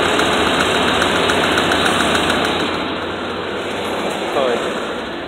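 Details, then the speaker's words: 4x4 truck at idle: uneven, lumpy idle with a ragged beat and tapping under voices, as if one cylinder is not firing; suspected misfire. Earlier lifter-like kick noise and low oil pressure were mentioned; it had been driving smoothly with a little smoke. "no water it ain't fired on one of my cylinders okay Wow"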